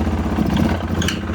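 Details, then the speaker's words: 2016 Polaris Sportsman 570 with a likely new top end, revved lightly: a loose, rattling clatter over the exhaust with little power. A sticking connecting rod is suspected, needing replacement. "I after hearing that I'm pretty certain the connecting Rod's sticky and uh it needs to be replaced"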